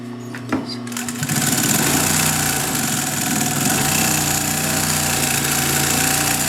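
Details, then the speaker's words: Vintage Pfaff 134-0-6 industrial lockstitch machine sewing a short 2 mm stitch, slow, then reverse and forward again under its clutch motor. A steady hum under an even needle patter that slows and resumes smoothly: normal, well-controlled operation. "Reverse, forward again. So you can see you have a lot of control with this clutch motor. I actually prefer the feel of the clutch motor to a servo motor."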